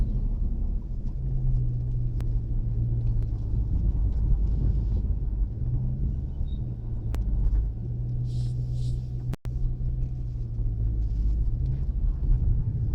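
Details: Chrysler 300 SRT Core driving tight circles in a car park at about 15 km/h: low droning rotating howl rising and fading over road rumble; rear differential suspected, not confirmed.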